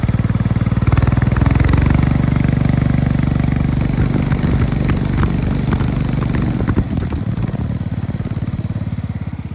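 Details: Cub Cadet 105 garden tractor with 42-inch deck, cold-started about a minute earlier, revved to about half speed then settling to a steady, even idle with no misses; fresh oil change, carburetor replaced, runs great.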